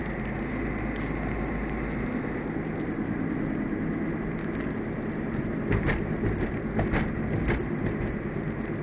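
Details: Ford Figo while driving: low steady hum inside the cabin under rain-like or road hiss; cause unknown.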